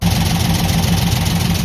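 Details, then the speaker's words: 1968 Chevelle V8 idling unevenly with a loping skip, shaking, and light valvetrain rattle over low exhaust rumble; rocker arms thought backed off, a broken pushrod was found. "If you hear that rattle, sound like the proper arms really backed off. Turn it off. So, I believe that the skip, if you noticed how the engine was shaking, the skip is from rocker arms."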